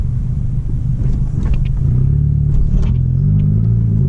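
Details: Volkswagen MK6 GTI test drive after lubricating the sway bar bushings to cure crunch or creak over bumps: only low road rumble and soft thumps, no creak or crunch; quiet front suspension, temporary fix.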